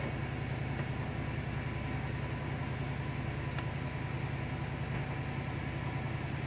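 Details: 2002 Mercedes CL500 V8 after replacing the spark plugs, coil packs and plug wires, started after sitting two days: a low, even idle with a smooth, steady rumble and no misses or stumbles.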